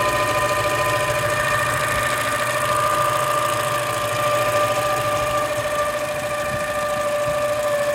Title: 2016 Toyota Camry weird engine noise